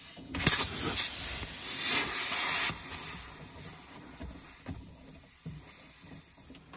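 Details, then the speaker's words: Compressed air hissing in a skid loader dash: a sharp, steady high hiss for a couple of seconds, then fading, from the dash air line fitting, still leaking after rework; owner suspects the fitting's internal rubber seal no longer seals. "can't stand the sound of leaking air in the dash whatever i'm at my wit's end with these air lines"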